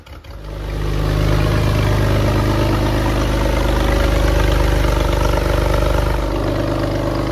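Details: Porsche 911 (996) first start after 4+ years of restoration: catches and settles into a lumpy, uneven, wavering rough idle.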